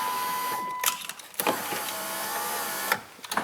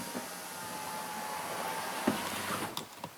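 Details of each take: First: 2008 Chrysler Town and Country, driver's door had no power windows or locks (interior CAN fault): after reconnecting, several clean, even window motor whirs with no grinding or stalling; everything works now. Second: 2008 Chrysler Town and Country, no power windows or locks from driver's door, interior CAN fault: window motor whirs and door clicks in short, uneven bursts; driver's window works only sporadically, no consistency.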